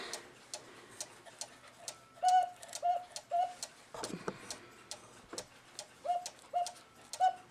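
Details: 1983 Hummel cuckoo clock with a homemade cuckoo lift wire on the side of the bellows; steady ticking about twice a second with clean two-note mid-pitch cuckoo calls; bellows and call mechanism working properly.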